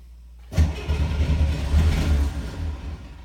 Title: Hard Starter